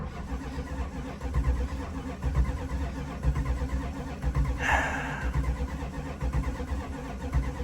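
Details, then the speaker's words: 1979 Chrysler 300 sitting a year, just started on electric fuel pump from a gas can: uneven idle with a lumpy thump about once a second as if a cylinder drops out; skip at idle, weak cylinder suspected. "Why does it sound like this thing has like a skip? Does it have a weak cylinder? Did it have that before?"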